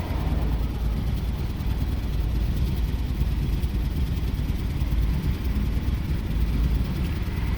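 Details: 2006 Jeep Commander 4.7 L V8, smoking heavily, P0300 random misfire with cylinder six flagged, engine computer already replaced: low rough idle with uneven beat and occasional stumbles; misfire at idle, injectors and coils not at fault, engine suspected.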